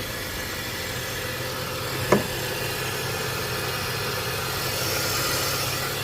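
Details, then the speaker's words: Manual BMW E46 with 255,000 miles, very low on oil, idling with the hood open: a smooth, even, constant idle note with no ticking or tapping. It runs quiet and healthy. "I don't know how this thing runs so good and so quiet. No ticking, no weird anything."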